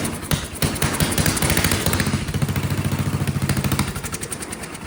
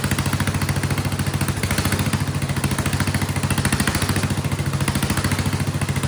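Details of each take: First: Vintage Kohler motorhome generator, big flathead single estimated at 400–500 cc, first start with the gravity-fed bowl filled and choke held: fires unevenly, speed swelling and dropping every second or so; surging, owner suspects carburetor or fuel delivery. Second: Vintage Kohler generator flathead engine running a shop vac as load, after the spring under the carburetor float was removed. Loud, even single-cylinder thump with surging stopped under load, though slight surging is said to remain.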